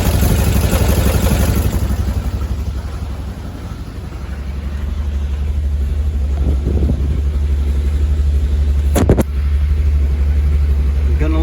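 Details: 1970 VW Bus with newly installed electric fuel pump, running a while and starting to warm up, no fuel leaks. Low steady rumble at constant idle, no misses or hunting; running fine.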